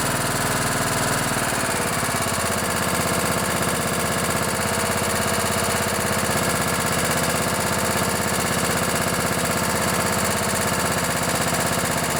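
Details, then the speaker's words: Craftsman LT1000 riding mower with 16 hp Kohler Command OHV engine, barn find after carburettor and fuel system service and a charged battery: catches after a brief crank into a steady, even beat, smoking a bit after long storage; normal running. "so she's smoking a bit that's all right hasn't been ran in quite a while"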